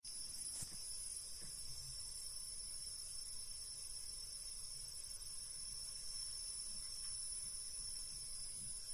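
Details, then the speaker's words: Deye SUN-6K-SG03LP1-EU 6 kW inverter, a replacement unit squealing louder than the previous one, heard throughout the apartment; steady piercing high whistle spreading from the heatsink, service centre calls it normal; inverter squeal. "Звичайно можна ще закрити кришку але шум цей писк розповсюджується від радіатора"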